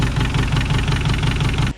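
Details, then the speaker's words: Swapped engine in a Scirocco project, lots of silicone found around the sump: heavy, regular knock at roughly six or seven beats a second over the idle, diesel-like; engine knocking, bottom-end or piston knock suspected. "It sounds like a diesel. It does sound quite knocky."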